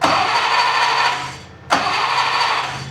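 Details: Unimog 404 engine cranked with 24 V fed to the starter solenoid through a 12-to-24 V step-up inverter: two bursts of fast cranking, never firing. Spark is present and compression seems okay; no fuel is reaching it.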